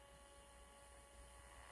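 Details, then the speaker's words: Melody in Motion musical figurine, opened for repair: faint steady motor hum and buzz with no music; the motor turns but there is no sound. A substitute speaker also did not work, so the speaker is probably not at fault. "You see the motors moving. Now we need to figure out why the speaker's not working. Could be it's blown or something's not hooked up right."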